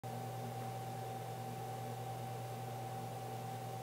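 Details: Water-cooled 2.2 kW spindle under warranty: steady mid-pitched squeal over a low hum at constant speed, with chirping; owner suspects bad bearings.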